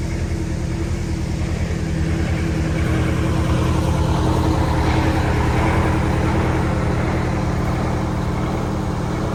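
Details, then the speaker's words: Prevost bus with Detroit 8V92TA DDEC II diesel, no codes, pedal to floor: heavy pulling with rhythmic surging, poor acceleration; injector issues. "It's really easy to hear that surge. Watch this horrible acceleration. This will be pedal to the floor."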